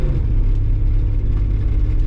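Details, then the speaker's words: Nissan R31 Skyline straight-six on its first drive in three years, still slightly rough low down: loud deep rough rumble under light acceleration from a bad exhaust leak heard in front of the passenger footwell. "that exhaust leak the exhaust leak's so bad it's like right in front of the passenger foot well so I can hear it pretty loudly back"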